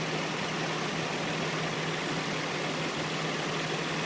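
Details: 2004 Infiniti I35: steady loud engine roar with a faint, light knock buried underneath; engine knock of unclear source.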